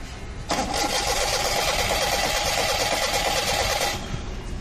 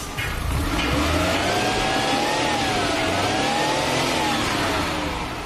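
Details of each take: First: Maruti Suzuki 800 cranking: the starter whirs steadily for about three and a half seconds without firing, then stops; it cranks but won't start. No current is getting through, with a resistor or ignition coil fuse suspected. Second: Maruti Suzuki 800 after fixing a starting problem traced to the ignition coil resistor fuse, which is worse in rainy weather: it starts cleanly and revs up and back down smoothly with an even exhaust note and no misses.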